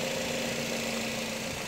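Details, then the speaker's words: Used Nissan X-Trail T31, start-up check after confirming no oil leaks: even, steady, smooth idle with a light hum and no knocking or irregular beats; engine judged ready. "Apakah ada suara-suara yang aneh yang keluar dari mesin ya Ini nah seperti ini halus ya artinya mobil ini ready"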